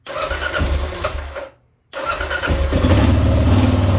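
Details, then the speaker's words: 2018 Kawasaki KLR 650, 651 cc single-cylinder thumper with Leo Vinci exhaust, starts without pulling the clutch, given a little choke: quick start, then a steady, even thump settling into a clean idle, a normal healthy cold start. "Starts right up. You can hear the thumper. Whoop. Let's give it a little bit of choke here."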